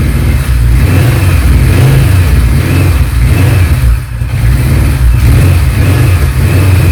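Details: 1976 Kawasaki Z900 (Z1) inline-four, fuel stabiliser added, run to empty the carburettors before winter storage after sitting unridden a while; started straight away. Deep, steady burble at even idle with no knocks or misses.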